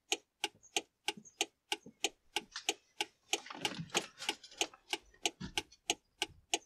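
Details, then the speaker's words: DIY car trailer lights controller with right-hand indicator on: crisp, even relay ticks about three per second, clicking in and out with the indicator signal feeding the relay coil; relay switching normally. "that's the right hand indicator working there and the little relay is clicking in and out"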